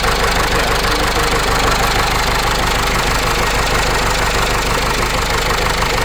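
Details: Case 586E Cummins 4BT diesel after teardown: idle with hard regular knock about three per second over the clatter; knock still present, cause unknown.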